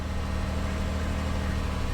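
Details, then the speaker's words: 2004 Lexus RX 330, 3.3-liter V6, bought sight unseen, first start: even, low V6 hum with steady drone, no knocks or misses, smooth idle with little steering-wheel vibration; engine sounds healthy. "It sounds pretty good. The engine sounds legit. V6 3.3 liter. You know, you can hear the health of the engine by just listening and feeling for the vibrations on the steering wheel. It's smooth."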